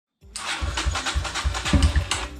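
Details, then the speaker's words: 2018 Kawasaki KLX140L dirt bike, project bike before carb cleaning and battery charging: quick rhythmic cranking with brief catches that never settle into a run; she wants to start once she gets gas, cranks but won't start. "oh yeah she wants to start to get gas now"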